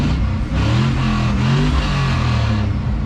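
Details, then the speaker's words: 4.8 LS-swapped Travelall after replacing spark plugs and plug wires to cure a misfire that flashed the check engine light: V8 revs up and settles cleanly with a steady, even beat, no stumble; running much better. "it's definitely running better holy crap"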